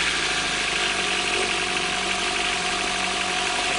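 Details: Four-stroke jet ski, which starts easily: smooth, even idle with a steady hiss and no misses or knocking. It is quieter than the two-stroke and runs normally.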